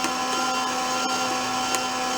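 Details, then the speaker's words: Old roadside-discarded Lincoln wire-feed welder after realigning the drive roller into its groove, tension a little heavy, rusty wire: smooth, even motor whir with no hesitation or slipping; wire feeds steadily. "the tension feels a little heavy but let's just see what we get so we should get like an even feed rate out of it there we go"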